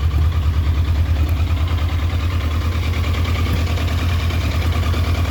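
A deep, loping idle pulses unevenly, with beats that don't land quite even, a rough idle on this bike.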